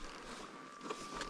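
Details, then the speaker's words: 790/890 motorcycle idling at high elevation while warming up near Cuprum, Idaho: thin, steady high whistle over quiet idle that doesn't follow revs, from the fuel tank vent; harmless, don't open the gas cap, fades later. "It's the vent. And when it's warming up and you're at high elevation, you'll get that whine from the vent."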